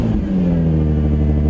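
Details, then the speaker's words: Crashed Nissan 350Z V6 with aftermarket exhaust, just jump-started: loud, deep rev with clean, even exhaust note, no knocks or rattles; healthy engine revving. "This car sounds incredible. Oh, this sounds really good. It's loud, but that aftermarket exhaust, it really works. It sounds very good. And it's only a V6 as well, but I'm really impressed."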